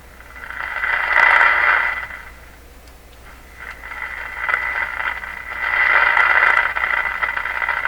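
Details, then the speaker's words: Canadian Westinghouse Model 636 tube radio, untested junk set before repairs: hissy crackling, clicky bursts swelling and fading every couple of seconds, not volume-control dependent; suspected tube biased to cutoff with strong signal peaks breaking through, audio or RF stage unconfirmed. "I know wake up the radio during those little clicky Peaks and that's what you hear does not seem to be volume dependent or don't control depends"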